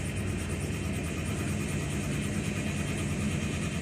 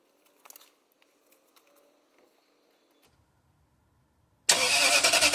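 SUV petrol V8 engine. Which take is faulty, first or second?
second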